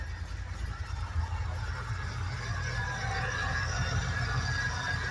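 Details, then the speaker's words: 2008 Ford Mustang Bullitt salvage-auction car, mufflers apparently removed: loud, steady deep idle with no ticking, cooling fan audible; engine sounds healthy. "Sounds pretty good. Don't hear any any ticking or anything."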